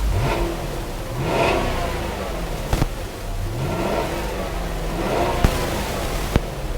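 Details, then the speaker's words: Volvo S80 AWD, revved with the AC on: engine picks up cleanly in two quick blips and settles back smoothly, no knocks or rattles; healthy engine. "sounds nice"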